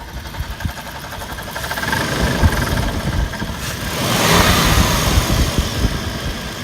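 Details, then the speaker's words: 2005 Toyota 4Runner, two-wheel drive, about 394k miles: uneven metallic rattle over a steady idle, only at idle and rising slightly with revs; first suspected heat shield, later confirmed as the failing A/C compressor, which needs replacing. "it almost sounds like there's a Matata metal like heat shield or something rattling or like it's coming from the AC compressor or something"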